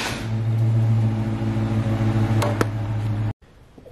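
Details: C4 Corvette after jump-starting its dead battery: the starter drones in a steady, even crank for about three seconds, then stops without the engine firing. Crank, no start; owner later suspects air escaping.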